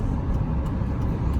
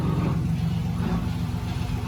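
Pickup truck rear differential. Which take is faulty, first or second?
second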